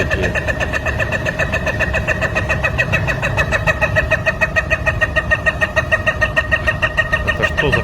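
A sharp, regular ticking knock at roughly three per second rides over a steady idle, evenly spaced and persistent; the cause is undetermined.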